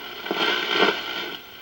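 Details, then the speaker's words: Vintage Philips Bakelite tube radio after cap replacement and substituted tube, on shortwave with no antenna: steady hiss and crackle with faint whistles, no station, just harmonics; shortwave static without antenna. "let's try the short wave ben it's not going to pick anything up i don't think [Music] with no antenna just some harmonics"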